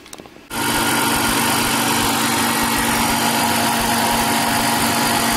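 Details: 1999 BMW E46 323i, M52TU engine, after TimeSert repair of blown-out number two spark plug thread and even compression test: catches instantly, smooth, even idle with steady hum, no knocks or misses; normal idle.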